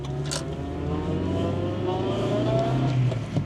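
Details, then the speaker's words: Cheap Honda Jazz driving, engine just started: high thin whine rising and falling with road speed over tappy engine; gearbox bearings suspected, not confirmed. "A noisy gearbox. What did I say about the gearbox bearings at the start of this video? Straight away, you can hear that high-pitched whine of dodgy bearings."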